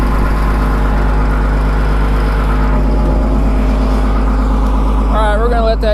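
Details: 2000 Cat 563D ex-USMC vibratory roller, Cat 3116 diesel, 25 original hours, warming after cold start: loud steady idle with low even drone holding constant, no knocks or misfires; normal.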